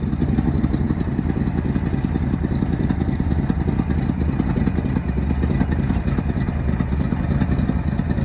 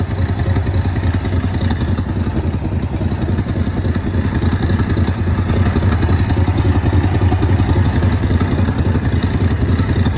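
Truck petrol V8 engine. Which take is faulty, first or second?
first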